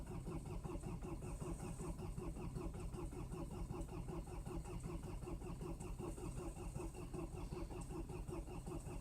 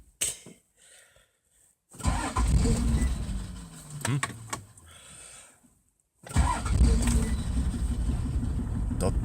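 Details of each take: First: Mercedes diesel at -20 °C: steady labouring starter rhythm churns on without the diesel catching cleanly; hard cold start, prolonged cranking. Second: Toyota Land Cruiser HDJ80 diesel, mechanical injection pump, direct injection, cold start at -20 °C: a couple of short cranking bursts, then catches and settles into steady even idle clatter; normal cold start.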